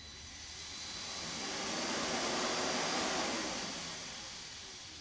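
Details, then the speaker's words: BMW K1200S with battery removed and powered through jumpers: radiator fan switched on and off via the OBDLink actuator test; a soft airy rush swells, holds, then dies away, normal fan operation. "Like for instance, the fan, for instance, I can switch it on."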